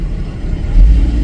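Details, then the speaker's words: 2011 GMC Acadia after purge valve replacement: steady, low, even idle rumble with no burbling or misfire; earlier burbling idle and excess exhaust smoke gone. "sounds like it's running a lot better though also around the exhaust no more excess smoke see it was smoking pretty good there no more XX smoke just the idle itself sounds a lot better"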